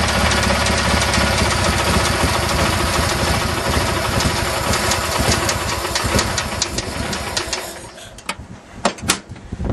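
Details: Craftsman GT6000 mower with Kohler V-twin, jump-started after fuel pump replacement with a homemade gasket and a carb rebuild whose kit added an air-swirl attachment: loud, steady, strong running that pulls evenly, then winds down to clicks. Normal running.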